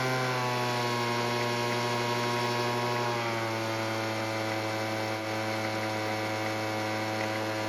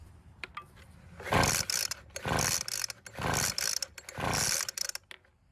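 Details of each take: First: Weed Eater leaf blower, small two-stroke, after carb tuning with the L screw richened a quarter turn: steady buzzing, settling slightly lower and running evenly without stalling; normal running after fix. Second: Weed Eater leaf blower (two-stroke) that won't start: four rasping pull-cord cranks about a second apart, never fires; suspected flooded, retried without choke; cranks but no start.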